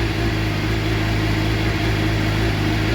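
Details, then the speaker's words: Suzuki GSXR750 K7 track bike, first start after sitting long, new silencer with baffle, warming up at idle; steady even low burble, no misses or knocks; FI light on, later traced to the pair valve. "goes oh yeah on the button perring like a kitten that's not bad considering she sat up for so long"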